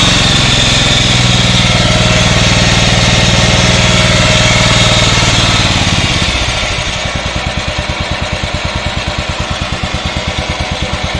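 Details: Yard-Man 15 hp riding mower with 42-inch deck, revived after sitting outdoors: runs strong, then drops to a slow, even idle thump that keeps going. Normal idle after the too-low idle setting that caused a stall was corrected.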